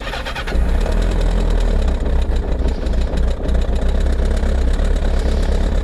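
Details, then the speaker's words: Kawasaki ZR7S four-cylinder, cold start on choke after sitting unused, battery recharged: loud rough rumble with a busy clatter at fast idle. It fades as revs rise and grows as they drop, seemingly from mid-cylinder. Owner suspects the cam chain, not the head. All four exhaust pipes warm, so plugs seem unlikely. "アイドリングもね、あんまりしたくないんだけど、おそらくね、カムチェーンだと思うんだけど、回転が上がるとノイズが消えるんだけど、ヘッド周りまではね、行ってないと思うんだよね。"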